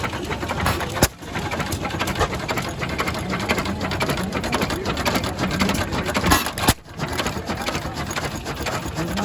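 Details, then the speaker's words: Old single-cylinder antique engine at an antique gas engine and tractor show, just got running: pops along at a steady, even beat with no knocks or misses; sounds healthy. "You got her going, Larry. She sounds good."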